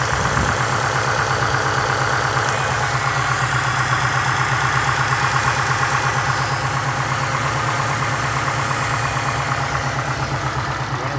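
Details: 2005 Subaru Impreza WRX STI with blown short block at idle and 2000 rpm: lumpy idle with hollow rhythmic knocking, piston slap.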